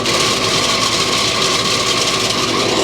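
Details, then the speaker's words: Outdoor AC condenser fan motor running with loud fan rush and persistent high hum from worn bearings; noisy again a month after oiling with 3-in-1 oil, motor to be replaced. "Got my AC unit making noise again, and what I did about a month and a half ago is I took the top off and I tried to oil the condenser motor."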